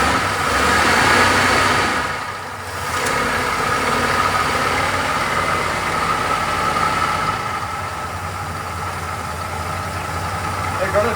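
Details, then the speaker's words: 1975 Chevrolet Monza 350 V8, first start in 12 years: steady, even idle rumble with a light exhaust tick and no misses or knocks; smooth and clean, though it kept running when the shutoff was released. "it sounds like it blew a lot out of the exhaust sounds like the cam is a circle super smooth yeah super clean"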